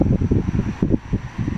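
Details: Hanabishi stand fan after motor, bushing and shaft replacement and a new thermal fuse, having hummed before repair: soft, even motor hum with airy whoosh and no grinding or rattle.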